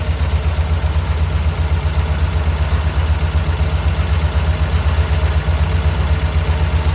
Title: Lifter tick?